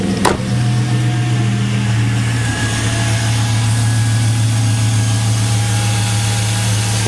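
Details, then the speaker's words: 2001 Chevy Silverado 5.3 Vortec V8 idling after a Flowmaster Delta Force cold air intake install: steady, even rumble with no misses, hiss or whistle and no suction leaks felt. The exhaust note is a little more drummy. Healthy. "just listen to that crispy running good back over here at idle a little bit change in exhaust note i can hear to my ears it's a little bit more a little bit more drummy now"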